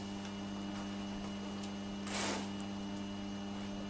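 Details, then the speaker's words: Vintage Petro Scott reel-to-reel tape recorder, AC bias, 2-track mono, playing tape before repair: constant low mains hum under quiet playback with no change in pitch; a failed filter capacitor let ripple through, and replacing it fixed it. "I'm hearing a little bit of hum here but I'm sure that's nothing I can't fix"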